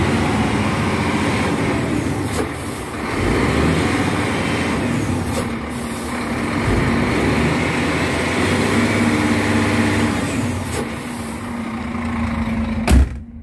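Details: Scania P360 dump truck diesel with the exhaust brake tested while revved to about 1500–2500 rpm. The note swells into a deeper muffled roar as the brake bites, with an air hiss near the end: normal operation.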